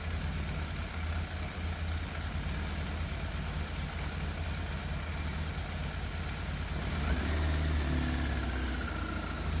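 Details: Yamaha FZ750 four-cylinder motorcycle, 41,000 miles, fire-damaged, choke fully off: low lumpy idle, about four pulses a second, stumbling now and then; sounds like it's missing, middle two exhausts cooler than outer two. Idle hard to set, sometimes cuts out; cause unconfirmed.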